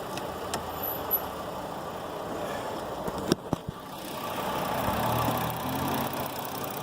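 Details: Road Runner after a jump start; quiet, uneven low running continues with a couple of sharp clicks, then swells again after the key is turned off; engine run-on, cause unknown.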